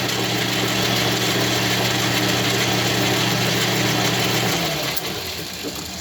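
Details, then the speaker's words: Machining cut on a 660 clone part, 10,000 cut; steady low hum with an even hiss for about four seconds, then winding down, a clean smooth cut that sounds better than before. "This should be 10,000. Sounds like it's cutting better anyway."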